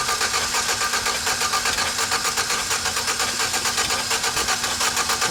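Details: GMC 4.3L V6 pickup that stalled on the road after a reported banging noise, starter relay jumped to crank: steady starter cranking with even rhythmic chug that never catches; timing mark checked correct, fuel pressure next; cranks but won't start.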